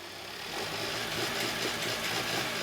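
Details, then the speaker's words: Hyundai Tucson with code P1326 and a flashing check engine light, losing power, won't rev over 1000 RPM or upshift; the engine strains when revved in the shop, running rough and choppy, misfiring badly. "You see that? This doesn't sound good. Rev it again. All right. So, that's good. Turn off the engine. Turn the key on. Yeah, this is misfiring badly."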